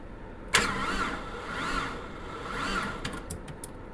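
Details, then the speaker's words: Neglected 1998 Porsche Boxster 986 on new battery after jump pack pulsed: starter turns engine over slowly in laboured whirs about once a second; engine not seized, owner suspects a bad connection; slow cranking. "well it's not seized which is amazing to be honest it's really struggling there's a bad connection somewhere"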